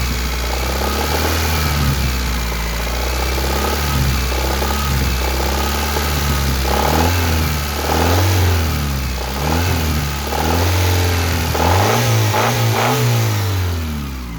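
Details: 1991 Honda Accord F22A1 with 1995 Prelude head, valve lash in spec: sharp knock quickening as the engine revs up and down, seeming to come from the top near cylinders 3–4; owner suspects piston slap or rod bearing, unconfirmed.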